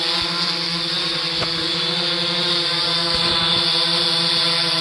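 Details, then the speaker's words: 3DR Solo quadcopter in flight after replacing the noisier, off-balance OEM motors with Emax MT2216 810KV motors: a smooth, steady high hum with even pitch, no rattle; noticeably quieter; normal motor hum. "yeah there's definitely a difference in the quietness"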